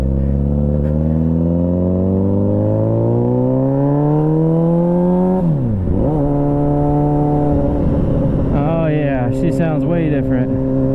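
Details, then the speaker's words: 2001 Suzuki Katana 600 with new petcock fuel valve and loud gutted exhaust pipe: revs climb smoothly, then suddenly sag and stumble before picking up unevenly; it was running out of fuel. "Oops, I think I'm running out of fuel. That's what it sounds like. Sounds like I'm running out of fuel."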